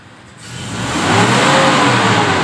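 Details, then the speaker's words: Toyota Innova petrol 2005, before tuning/carbon cleaning, idle 1000 rpm, throttle pressed halfway: revs climb lazily, taking over a second to build; sluggish, hesitant response, typical Innova heavy/weak complaint. Cause suspected, not confirmed. "waktu Migas ini telah sudah saya injak setengah Hai baiknya lambat banget Saya mikir dulu gitu"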